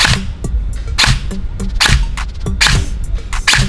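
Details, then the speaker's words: Airsoft AEG, semi-auto single shots: firing cycle sounds heavy and laboured instead of crisp because motor height is set too deep against the bevel gear; fix is backing the motor out until it runs without resistance. "ini suaranya beda nih kalau teman-teman perhatiin ya Nah suaranya mic ini terlalu dalam jadi kita harus kendorin semotor enggak terlalu ke bevel gear"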